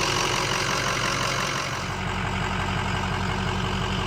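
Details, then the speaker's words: 2005 Ford F250 6.0 Powerstroke diesel after repair of front-of-engine vibration: even, steady idle with usual light injector clatter, no shake or rhythmic rumble; vibration gone, much quieter. "do you hear that it's The Sound of [Music] Silence no more vibration"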